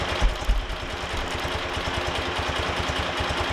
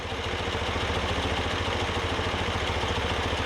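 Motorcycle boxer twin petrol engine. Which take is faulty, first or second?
first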